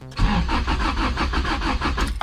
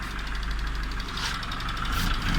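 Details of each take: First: Honda with B20 VTEC engine: starter cranks steadily at about four or five compression beats a second for two seconds, but it never catches. Crank-no-start; the ECU later flashed code 14, idle control valve. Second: Honda B20 VTEC in a car originally fitted with a D16A9, after the faulty distributor wire behind a no-start was fixed: fires, revs rise and fall smoothly, then settles to a steady even idle without misfire; normal idle.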